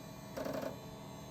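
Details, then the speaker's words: Late-1990s/early-2000s HP Windows ME multimedia PC after component replacements, powering on with no hard drive detected: low hum with a short burst of rapid mechanical chatter and buzzing at boot, possibly the floppy drive seeking. "Oh, that might be the floppy drive. That's fantastic."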